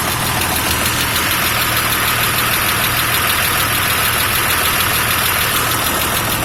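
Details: FJ60 at idle: steady engine with a strong airy hiss riding over it throughout; a vacuum leak is suspected but not confirmed.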